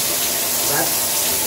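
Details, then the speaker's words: Shower panel running at full blast: a loud, steady rushing hiss of water with nothing mechanical in it, quieter at lower flow. Loud flow noise. "it's just super loud then I can't turn I can't turn the water all the way up because the water pressure is so much"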